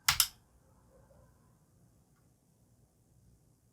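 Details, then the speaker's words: IBM PC 5150 power supply on power-up after long storage: two sharp relay clicks at switch-on, then near silence with no fan or hum, not shorted; supply not coming up, possibly too little load or another failed part. "no how interesting so it's not shorted or anything it sounds like this relay tricks triggers and then nothing happens so maybe we have something else is dead in here"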